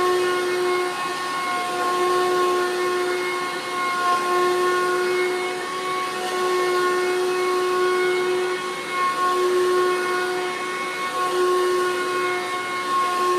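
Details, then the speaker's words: 2003 Hoover Caddy Vac with reportedly replaced motor and upgraded fan: steady unwavering high whine over soft airy hiss; owner suspects the original failing motor or fan, and snapped brush roll belts. "Well, Matt claims that he replaced the motor on this thing and threw in an upgraded fan, but to me that sounds like the motor it came with when I bought it."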